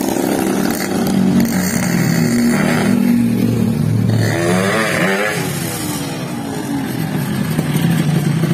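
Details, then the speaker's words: Yamaha RX King two-stroke with a complaint of poor speed and climbing, road test: crisp buzz rising cleanly as throttle opens, strong pull, no bogging or misfire; pull good, but drive chain possibly loose. "Oke, tarikan mesinnya sudah bagus."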